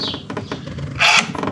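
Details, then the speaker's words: MV Agusta Enduro Veloce at start-up: brief electric whir with light clicks as the steering lock motor cycles; screen still blank, engine fires shortly after. Normal steering lock actuation. "There it goes. You heard the steering lock do stuff."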